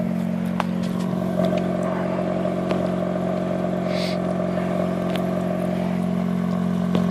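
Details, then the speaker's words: 2004 Mazda RX-8 rotary with low compression, cold start after sitting about two weeks, recorded at tailpipe: uneven idle with loose stumbling chuff and irregular thud-like pops, hunting; misfiring. "a miss. Thud, thud, thud, thud, thud. Maybe we can hear it down here by the shifter."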